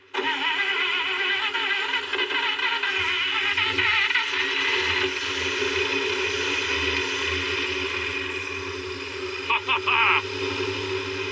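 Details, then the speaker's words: Long-dormant vehicle being revived, fuel pump bottle-fed then pumping, carburetor lacking an accelerator pump. The engine catches quickly and settles into a steady, even idle with no misses; it fires right up as if recently run. "It sounds like it was turned off yesterday."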